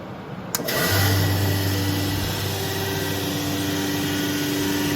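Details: Brand-new 2021 Becker VTLF 2.250 dry rotary vane vacuum pump on a CNC router, first startup plumbed via two-inch pipe to the plenum; click, then spins up to a steady even low hum with airy rush, running smoothly and healthy.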